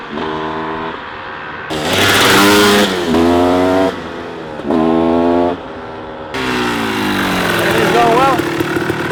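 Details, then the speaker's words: Rebuilt 1994 Kawasaki KX250 two-stroke during its first heat cycle: crisp revs climb and fall cleanly in repeated blips with no knocks or rattles. The transmission shifts smoothly and the engine sounds healthy and pulls freely. "everything's feeling good on the bike after the third heat cycle the transmission is shifting smooth like butter as much as i can tell without beating on it has the power engine sounds good and healthy"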